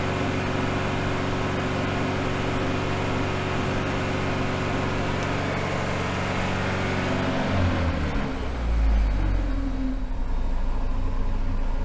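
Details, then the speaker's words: Engine on a dyno in limp mode after a battery disconnect: steady labouring drone that never climbs, then sags away; suspected the dyno water pumps running created enough load to stop it revving. "so before we had the water pumps on the dyno running and I think that must have been creating enough of a load on the engine that it's not allowing it to rev"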